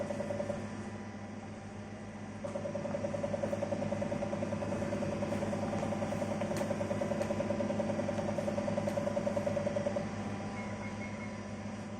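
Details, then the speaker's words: 1985 Olivetti M24SP 8086 PC with 512 KB RAM, first power-up after cleaning: hard drive makes steady hum with regular ticking and clicking, odd screen pattern, keyboard lights flashing; cause unclear. "well the hard disk sure makes some funny noises and isn't that an interesting pattern on the screen"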